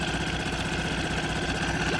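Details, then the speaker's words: Nissan NSF 4A four-stroke pull-start outboard on a Hunter 19-2 sailboat, started in one pull with choke: steady, even putter with a regular firing beat and no misses or knocks. Normal idle. "so it only took me about um one pull to get it to start and it's usually you don't even really need the choke but with choke it makes it pretty easy [Music] but runs great"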